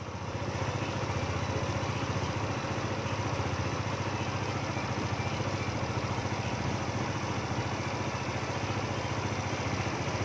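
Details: Yamaha Nouvo scooter idling after refitting the ISC valve so error 37 no longer appears; steady, even single-cylinder putter with no misses or surging, normal idle.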